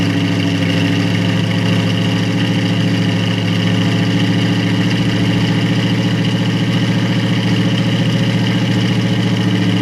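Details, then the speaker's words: 1937 Buick Century Coupe with a 400 cu in small-block Chevy and an Edelbrock 600 carburetor without a choke, on its first cold start of spring: low, uneven, lumpy idle. The chokeless carb makes it cold-blooded, giving a rough cold idle. "this thing's cold-blooded it's got an elbrak 600 carburetor without a choke so it's kind of cold-blooded so i might have to pump it and crank it for quite a while but it should fire up here we go"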